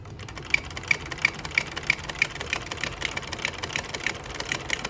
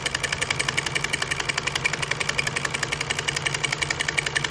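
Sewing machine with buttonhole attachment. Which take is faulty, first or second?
first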